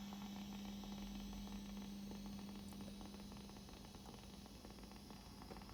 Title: Fender Princeton making strange hissing sound, can you help?!